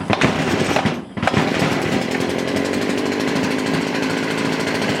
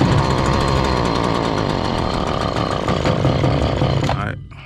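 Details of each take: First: Stihl FS70R trimmer that was bogging with no power, after final carb adjustment with the air filter on: even idle, then a clean steady high whine; normal idle and rev. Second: Stihl FS70R trimmer, choke off, before repair: two-stroke buzzes evenly but gains no power on throttle, then sags and dies; bogging caused by far too much oil in the fuel mix.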